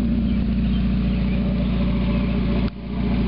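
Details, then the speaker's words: 1991 Mazda Miata MX-5, parked about 5 months, running with catalytic converter removed: loud, deep, throaty, raspy exhaust holding steady revs with a brief dip; deeper, throatier than the other Miata's gutted converter. "mean, the whole engine seems to be running smoother. But you remove all that back pressure from that catalytic converter and it's bound to help a little bit. little bit of a deeper, throatier sound than I remember the other one having."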